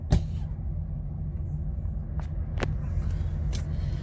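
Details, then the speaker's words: 2007 Chevy Trailblazer idling at around 30–35°F: low, uneven rumble with RPM surging. It stalls when turning sharply in reverse or drive, and a dirty throttle body needing cleaning is suspected. "when you turn sharp working the engine it'll uh the engine will stall and die on you sounds like it needs to be throttle body cleaned on it"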